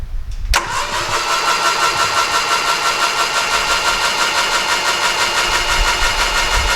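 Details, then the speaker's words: 1968 Triumph Herald 13/60 off the road for a while, cranked with plugs removed after replacing the ignition switch: starter spins the engine steadily but a touch laboured, a slightly sticky starter motor, otherwise not bad. "slightly sticky starter motor but otherwise not bad"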